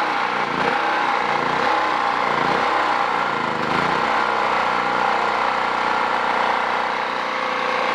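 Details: Champion generator with the choke pulled open after 5–6 minutes on half choke on a replacement carburetor from Champion; speed rises and falls in slow waves for the first few seconds, then steadies. Hunting on fuel mixture; owner says the carburetor adjustment does nothing; cause unconfirmed.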